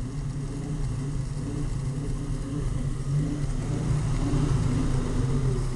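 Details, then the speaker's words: 1968 Ford truck running after new ignition points installed, timing possibly not yet reset; deep, lumpy idle with uneven stumbling beat over low rumble; rough running, vacuum leak or bad carburetor suspected, not confirmed. "oh still got a vacuum leak it seems like or maybe it's just that shitty ass carburetor"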